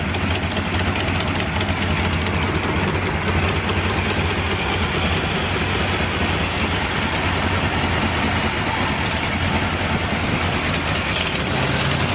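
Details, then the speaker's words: Ford Bronco with a 460 V8, first start after the build, vacuum ports plugged, small headers: deep, even V8 idle with a steady low rumble, no knocks or stumbles; smooth and normal. "that is that's smooth I was just touching the key Wow I just move in torchy motor though even with that little little header thing it still sounds great"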